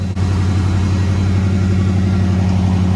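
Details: 1994 Ford Bronco Eddie Bauer with a reportedly rebuilt 5.0 V8, just after startup: a deep, steady idle with a low, even rumble and no knocks or misses; a healthy idle.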